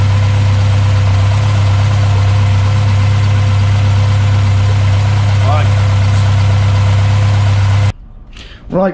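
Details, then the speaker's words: Mk1 Ford Escort Pinto engine at first start after a Jenvey DCOE 40 throttle body and MaxxECU Street conversion, throttle bodies balanced and base timing set: steady, even idle with a smooth low burble and no hunting or misfire, then shut off; normal idle. "we've got a working, running Mk1 Escort. It's got to sit there with a sensible idle."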